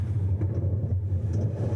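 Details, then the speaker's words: LG washer-dryer, relatively new, drum turned by hand: deep rough continuous rumble like thunder; stator removed shows rust marks, drum bearing has failed (burst), machine should be stopped immediately. "parece um trovão pessoal nesse caso aqui mas eu vou citar outras duas coisas a mais aqui ó já tirei o estator aqui ó tá vendo marcas de ferrugem que que aconteceu aqui pessoal o rolamento estourou o rolamento estourado rolamento estourou pessoal"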